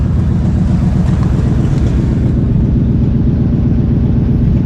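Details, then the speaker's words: Grandpa's old truck, 241,000 miles, with rotted-out mufflers and tailpipe, idling after start: loud raw uneven low rumble pulsing about four times a second, unmuffled blat; exhaust leaks heard, before new exhaust installed. "I wonder how many leaks we can hear. One right here, not very much."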